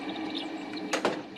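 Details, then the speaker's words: Volvo 740 with a Volvo 940 electric radiator fan fitted in the 740 shroud, test run off the battery on high speed (speed two): steady hum with a faint squeak, no ticking or scraping, no blade contact. Runs fine. "a little squeaky but uh didn't sound like it contacted anything so i would call that good"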